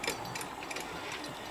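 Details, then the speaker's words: Sewing machine with a broken hook centre (kundi markaz broken inside), making fast uneven metallic tapping and clatter while running; bobbin area will be damaged if run this way; broken hook. "इसकी कुंडी का मरकज़ टूट चुका है। इसकी आवाज़ देख लें आप, ये"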